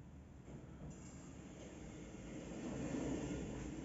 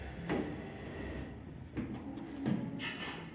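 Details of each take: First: Electronic lift door after loosening over-tight plastic door shoes that rubbed the sill: smooth even rumble, no squeak or scrape; door now runs cleanly. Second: Elevator sliding door squeaks and scrapes while opening and closing because the plastic guide shoes are clamped too tight and rub the sill.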